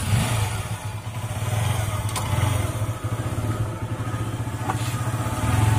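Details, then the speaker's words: Honda Unicorn motorcycle idling: steady single-cylinder beat with a fast light clatter on each stroke, caused by a faulty timing chain adjuster (tensioner) not working properly; not a costly repair. "இன்ஜினில் வரக்கூடிய timing சேன் adjuster வந்து பழுதாயிடுச்சு, அதனால தான் இந்த sound வருது. அது சரியாக வேலை பார்க்காதனால தான் இந்த சவுண்டு வருது."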